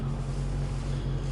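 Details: Patrol at about −15 °C, after power steering fluid changed to Mobil 1 (previously whined below −5 °C): only low even engine drone while turning the wheel, no pump whine or groan; power steering quiet.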